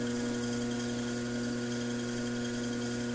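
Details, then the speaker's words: Brent pottery wheel viewed from underneath, splash pans off, motor belt-driven: thin high-pitched squeak over the motor's even hum, worse at slow speed. "this is our power in our pedal it's down here you can hear it see we get the squeak i better be louder now slow it down ah right there"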